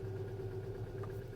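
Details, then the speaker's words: 2016 Hyundai Elantra 2.0 direct injection, P0017 cam-crank correlation, after short block replacement with old tensioner reused: quick even slapping about nine beats a second at idle, cam off one or two degrees; tensioner suspected sticking, not yet opened. "you can hear a it's like a slapping right and as you can see there it's like off uh maybe two or one degree in there same thing with our intake"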